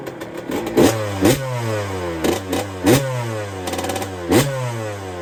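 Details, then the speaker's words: 1999/2002 Yamaha YZ125 converted to YZ144 two-stroke, first start after full restoration and carb rebuild kit, engine not yet hot: loud crisp blips, clean rise and fall with steady idle between; normal free revving. "she's so loud under here oh the kids are shouting at me yes me she sounds naughty though and she ain't even hot"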